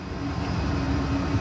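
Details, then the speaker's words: Hair-dryer blower supplying air to the fire of a double-barrel waste oil burner: constant loud blower roar with a steady mid-pitched hum and no surging, a racket the owner is tired of; normal blower running. "I get tired of listening to the blow dryer that's the one thing if I could come up with something better to run the blower for the fire and not make as much racket as that it would be nice"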